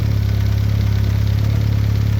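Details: VW B5 Passat GLS wagon 1.8T, after a high-flow exhaust manifold upgrade: deep, steady low idle with an even pulse, no ticks or exhaust-leak chuff; idling smoothly.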